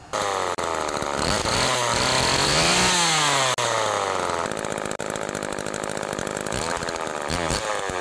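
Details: Homelite-made (Duramark-branded) Super 2 chainsaw after oiler repair and line refitting: crisp, steady two-stroke buzz climbing and falling cleanly with throttle, no misfire or bogging; normal running.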